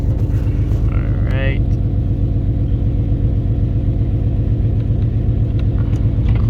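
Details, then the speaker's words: Nissan 370Z after replacing a burnt-out cylinder 4 spark plug and clearing stored codes (car has GTR injectors): engine catches and settles into a steady, smooth low-rumble idle with no stumbles; no more misfires, normal idle. "alright everyone we are in the green no more misfires no more multiple misfires"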